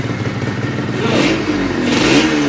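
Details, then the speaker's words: Yamaha RXZ 135 two-stroke motorcycle during rebuild, revved in neutral: a steady droning hum rises with engine speed over the exhaust, like metal touching somewhere; source not pinned down. "Kalem gibi dizer güzel bir şekilde olur bir uğultu var sanki bir demir bir yere mi"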